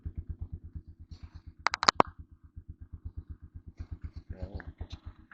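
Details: TMX motorcycle single after the valve clearance was set to 0.06 mm on both valves, odometer 59,173: even idle at about eight beats a second with only a light tick left, much less than before. Healthy idle.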